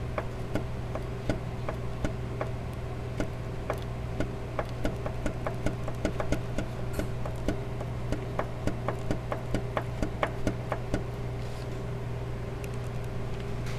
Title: DSM 2.4 liter engine Lancer Eclipse Galant Outlander Engine KNOCK